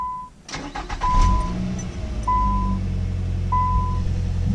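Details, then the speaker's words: Nissan Sentra cold start after new batteries fitted: starter whirs briefly, engine catches cleanly and settles into a steady even idle; starts and runs normally, starting problem appears fixed. "cold start well I think we good yo maybe good it's great"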